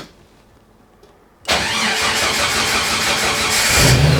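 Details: Jeep 4.0 six, in neutral, with a newly installed AX15 transmission, transfer case removed and fuel sitting a while, push-button started before warm-up. Quiet, then a quick crank and a clean catch into a smooth even idle with a slight rev: normal start.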